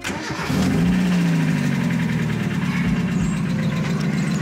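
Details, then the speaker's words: Mazda MX-5 NA after its first oil change, started for a 1–2 minute test run: cranks, catches quickly, settles to a smooth even idle; hydraulic lifter ticking is gone, engine sounds better than before. "läuft gut Hydrostößel klappert nicht mehr sehr schön klingt gut"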